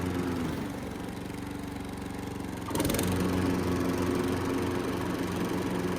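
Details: Riding lawn mower after a DIY fix to the blade drive and PTO belt tension: the single-cylinder engine runs at a steady, even beat, then a thump and a heavier note as the PTO engages the blades, carrying on smoothly.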